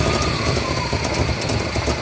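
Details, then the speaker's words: 1993 GMC C1500 5.7 V8 before fix; deep uneven idle loping and dipping, trying to die, surging off idle, cutting out when driving; O2 sensor stuck rich, fuel trim pulling fuel causing chugging. "here is a 93 GMC C1500 and as you can hear it's just kind of lopping and trying to die at idle brought in here because of this getting a little surge off of idle"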